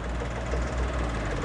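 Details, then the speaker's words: 2016 Suzuki Karimun Wagon R GS three-cylinder at idle, checked when buying used, listened to up close: smooth, steady low hum with no knocks, ticks or rattles; the engine sounds very smooth, normal idle. "suara mesinnya sangat halus Hai kebab Hai pemisahan wes dekatkan jadi tidak ada suara-suara secra taupun suara yang lain suaranya sangat halus"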